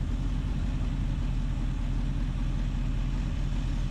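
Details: 1976 Ford Ranchero 500 V8 after new timing chain and oil pump install, warm idle at about 190–200 temperature: smooth even low rumble, no knocks, ticks or misses; healthy idle.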